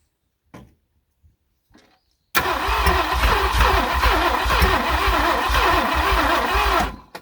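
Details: 1967 Thunderbird with 428, sat about 30 years, after swapping a plug wire: about four and a half seconds of steady, healthy-paced cranking, then stops without catching; turns over but won't fire, ether next.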